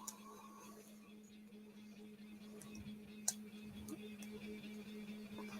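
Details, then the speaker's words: Rat Rig 3D printer printing PETG in the background: constant low buzz at one steady pitch under room noise; owner suspects a vibration, cause unclear. "Can you hear the buzzing in the background? That's my rat rig doing top fill on my job."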